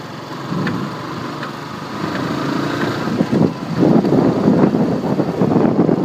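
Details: Yamaha R15 V2 motorcycle running: a loose, fairly regular "tak tak tick tick" clicking of about three per second over the engine noise, apparently from the chain or sprockets. The cause is unknown and the owner is asking.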